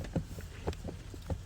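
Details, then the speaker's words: 2009 Freightliner Cascadia steering column, wheel rocked sideways: dull low clunks about two a second from play in the column's internal bearing; outer steering shaft U-joints with cylinder bearings noted as weak link and replaced. "if you move it sideways you can probably hear the noise so that shaft outside actually when the U-joints on the shaft that's what actually happened it's these U-joints on the outside um they're the weak Link in this case"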